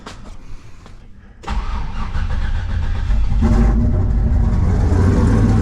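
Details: Turbo LS car after adding second fuel pump (Holley 19-350 kit, dual 340 LPH pumps) and tightening a loose leaking fitting: starter cranks briefly, engine catches at once and settles to steady even idle, healthy start.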